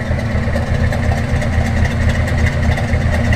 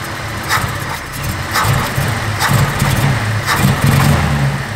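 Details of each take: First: First-gen project truck, newly bought, starting right up and idling normally: throaty steady exhaust pulse about four beats a second, no knocking. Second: First-gen Cummins project truck, running a minute or two and slightly warm. On a snap to wide-open throttle it surges in repeated bursts about once a second, stumbling and bogging, nearly dying; easing into the throttle is fine. The owner is unsure whether the carburetor is at fault.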